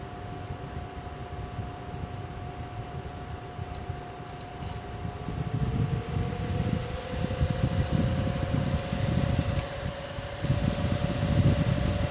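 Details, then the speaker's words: Gigabyte WindForce GTX 780 graphics card fan at maximum 100% speed: steady airy whoosh with a faint tone that climbs and holds; smooth, even fan at high speed, normal. "to 100 alright so I hope you enjoyed this is the wind force gtx 780 at maximum fan speed still"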